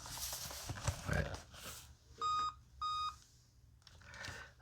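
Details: 2016 Dell Inspiron 15 3000 series laptop that sat unused for 2 years with the main battery drained: clear, quiet electronic beeps, part of a five-beep error code. A dead CMOS battery is suspected.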